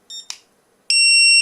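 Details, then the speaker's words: ISDT cell checker with the LiPo low-voltage alarm set to 3.9 V on a 3.7 V pack: sharp high-pitched beeps, two short then one long steady tone, fairly quiet; the low-voltage alarm has tripped. "So there you go. It's not that loud, but loud enough."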